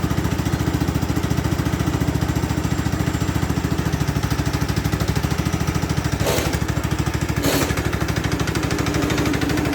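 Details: Free Craftsman LT2000 lawn tractor, parked about 6-8 years, running after cleaning solenoid and ignition switch connections: steady, even thumping with regular low pulses, no misses or knocks; running nicely, normal running.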